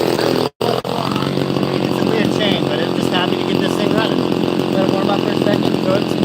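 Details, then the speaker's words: Chainsaw, apparently an XL Super XL Automatic, with all-factory unmodified exhaust: after a brief cut-out, a steady, fairly quiet buzzing idle with an even pitch and no stumbling; purrs along, idling healthy. "So, this has uh all the factory exhaust. I've not modified it or anything. It's actually pretty quiet. It uh purr along pretty good."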